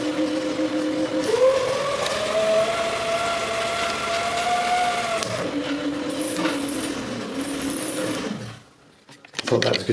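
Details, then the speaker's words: 36V hoverboard hub motor pedalled as a generator to charge a battery, load connected at about 24: a clear, steady whine that rises slightly with pedal speed; normal load whine. "So now I'm going to start pedaling to 24 and then I'll connect it. And you can hear the sound of the motor start whining."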